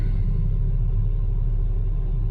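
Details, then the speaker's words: 2007 VW Touareg 3.6 VR6 after intake manifold gasket replacement, injector O-ring, fuel rail thread and brake booster vacuum line repairs: smooth, deep, constant rumble with no ticks, knocks or surging; normal running. "got the car running everything sounds good"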